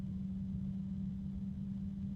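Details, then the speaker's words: Enermax LiqMax III ELC-LMT360-W-ARGB 360mm AIO fan at maximum speed, not yet on the radiator: steady low hum with a deep, uneven rumble after a brief felt vibration; fan vibration rumble, not terribly loud. "And I thought I heard a deep sound with it. Okay, now there's a bit of rumbliness from the fan as far as the vibrations."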